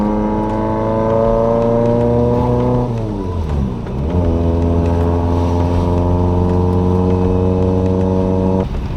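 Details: Engine-swapped Corolla, warmed up, with a bad exhaust leak: revs flare and hold a high drone without pulling, clutch slipping hard as soon as it's revved.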